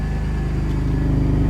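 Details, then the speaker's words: Vauxhall Vectra GSi at idle, deep even exhaust burble with steady low pulses and no misses; sounds lovely apart from the noisy power steering pump, which is low on fluid. "Right then, guys, so other than the noisy power steering pump, it's sounding lovely."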